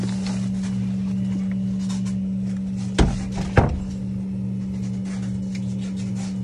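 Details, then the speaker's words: Ruud hybrid heat pump water heater that replaced a gas unit, installed with rubber isolation: a steady loud low hum with two heavy thumps while running; cause not found, no vibration felt through the pipes. "we took the gas water heater from here put this big beautiful machine here this big beautiful machine and it makes this noise"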